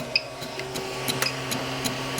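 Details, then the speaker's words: Wanhao Duplicator i3 Plus extruder loading 3D-Fuel APLA: sharp dry clicks about every third of a second over a faint motor hum as the drive gear strips and skips on a leftover Hatchbox PLA strand; nothing extrudes, so the assembly needs disassembly. "you guys can just hear it stripping. And it will not push anything out of the extruder."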